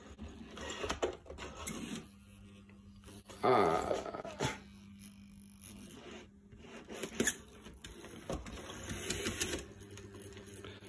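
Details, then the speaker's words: Farish/Dapol HST model train motor test: faint motor whir broken by clicks and short squeaky bursts; horrible noise from dry, very taut bogie gears, to be opened up again. "no this doesn't sound good so I have to open it up again and see whether it's the horrible noise came from"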